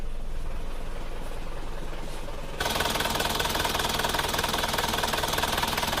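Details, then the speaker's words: Isuzu Panther diesel from Kras, Kediri, which the owner says runs rougher than before. At cold idle just after starting there is a hard, regular tek-tek knock, and it smokes a little. The mechanic judges this piston knock; pistons and rings need replacing and the liners can be reversed if still good. "setelah saya hidupkan itu emang ada suara sejenis suara tek tekekekek gitu Kalau menurut saya itu adalah suara seker jadi untuk menghaluskan suara itu sekernya ini harus diganti"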